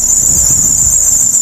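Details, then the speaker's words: 2005 car with about 161,000 km, cold start idle: piercing, steady high squeal from the front fan belt, expected to stop once warm. "Oke, nah ini bunyinya ada di sini guys. Jadi karetnya nanti kalau udah panas juga akan selesai bunyinya. Agak berisik ya."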